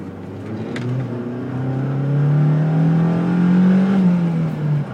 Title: bruit moteur 2